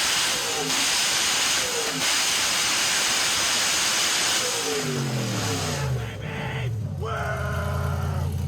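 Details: GM LS V8, after fixing a crank signal issue with a new wiring harness: through heavy hiss, the engine climbs and falls cleanly on each blip with no stutter or cutting out; normal revving.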